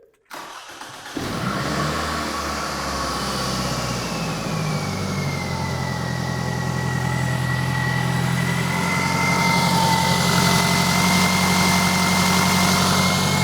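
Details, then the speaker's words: 2002 Toyota Camry, California emissions, over 330,000 miles, with P0420 catalyst code: cold start cranks and catches into a raspy, louder-than-normal droning idle; suspected exhaust leak from rusted pipe or bad gasket ahead of downstream O2 sensor, unconfirmed. "first things first I noticed a exhaust noise on the way in it it sounded like a noisy exhaust so let's go ahead and fire this thing up see if you guys can hear it"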